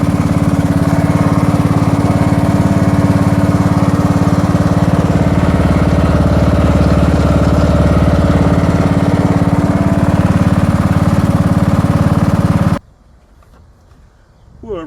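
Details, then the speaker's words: 2000 John Deere Sabre garden tractor that sat in a barn, running after carb cleaning with new bowl O-ring and fuel solenoid cleaned: steady, even drone, regular beat about three per second until shut-off, no knocks; runs healthy. "so she does run out and everything seems to work pretty good the rear end feels good and sounds good in it"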